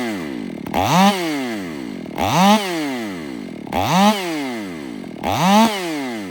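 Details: Ported Stihl MS500i (Empire Workshop) on a 32-inch bar with an unmodified MaxFlow plug-and-play air filter: high scream drops in pitch as the bar bites, then recovers each stroke; strong, even pull under load, healthy saw.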